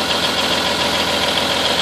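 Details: M931 cold start at about 25 degrees after sitting unused for 3 weeks, with about 100 lb of oil pressure and the temperature not expected to rise much. Even, steady idle with a smooth, unbroken beat and no knocks or misses; normal idle.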